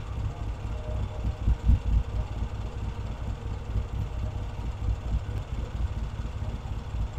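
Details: Vintage British motorcycle rebuilt from boxes, pilot circuit now working properly: low, fairly steady single-style thump idle, slightly lumpy, with wind buffeting on the mic; runs cleanly, normal idle.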